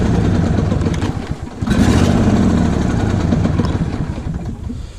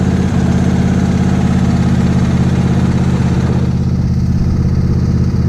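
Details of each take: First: Lawn tractor small engine being run on fresh TruFuel before winter storage: cold start catches, sags and stumbles unevenly, then steadies once choke is applied; needs choke when cold. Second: Lawn tractor small engine on fresh TruFuel before winter storage: steady even fast idle on choke, low drumming beat, no misses; running normally.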